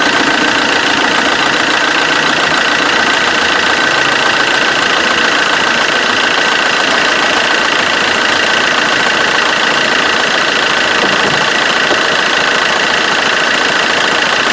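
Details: Vauxhall Corsa D 1.3 CDTI diesel after repair of loud auxiliary belt and tensioner vibration, with alternator pulley refitted: steady even idle clatter with no belt flutter or vibration.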